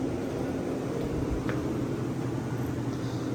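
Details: Vintage Westinghouse 10,000 BTU window A/C; even steady low drone and airy rush, no knocks or rattles; works pretty well, normal running.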